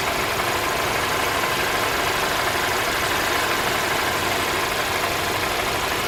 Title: Q50 2.0t 2017 Engine Noise after repair